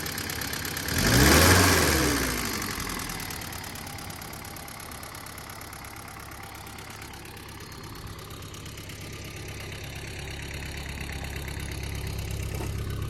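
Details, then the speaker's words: 1974 Ford Courier, 56,000 miles, factory electric fuel pump, Hitachi carburettor, cold start with a little choke: burst at start-up then slightly uneven loping idle; rough cold idle, possibly carb not running perfectly. "when it's cold it likes to have a little bit of Choke until it warms up but it does start at the turn of the key"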